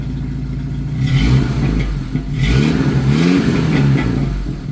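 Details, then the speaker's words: 1991 Jeep Wrangler YJ 2.5L four-cylinder, Flowmaster Super 44 and full tailpipe: revving, deep exhaust note climbs smoothly with each blip, settles back, no rattles or leak puffing; healthy. "that's so much quieter with it going out the back than when we started it with it just like kind of hanging on there it was pretty loud this is so much quieter with it going all the way back"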